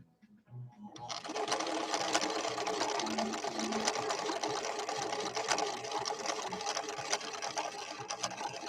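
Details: Late-1970s Viking Husqvarna 6460 Colormatic, repaired after cam stack issues, sewing a blue decorative stitch with an untested cam B: quick even needle clatter about two strokes a second, no knocks or catches; normal running.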